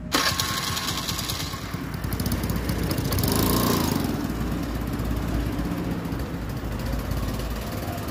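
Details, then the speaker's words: TVS Scooty Pep petrol scooter that cranked but would not start, after cleaning the dust-blocked carburetor jet: catches and settles into steady even single-cylinder putter with a brief rev; normal running. "Jet black అయింది అంతే okay ఇప్పుడు మళ్ళ single పెట్టి మళ్ళా start చేస్తాను పట్టుకో ఉండు చూసారా స్టార్ట్ అయిపోయింది"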